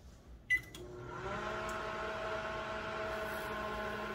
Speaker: And then listen closely, because after it hums, you'll hear a slight buzzing sound, like zzz, almost like a fly on a window. That's the magnetron kicking on.